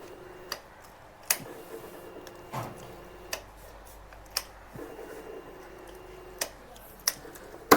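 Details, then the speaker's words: Bajaj Pulsar NS160 BS6 that won't start unless fully throttled, no malfunction light: sharp uneven injector ticks at irregular gaps, rough and inconsistent; fuel injector suspected, not confirmed, rough injector clicking. "எரிபொருள் இன்ஜெக்டரின் சத்தம், அது சரியாக இயங்காதது போல, சற்று கரடுமுரடாக இருக்கிறது ."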